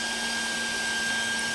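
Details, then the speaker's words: 12 V DC blower fan run directly at full voltage (11.1 V), without the step-down converter: a loud steady rushing whoosh with a fixed high whistle, no wobble or rattle; normal full-speed run, but too loud. "Kalau enggak pakai step-down ini kan suaranya seperti ini kan keras"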